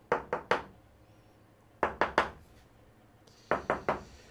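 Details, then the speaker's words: Tap test on the fiberglass doghouse roof of an Albin 30 boat (wood core): three sets of sharp knuckle taps, hollow-sounding spots reveal delaminated ply, marking where to drill for epoxy injection. "what you can do is he's tapping like this"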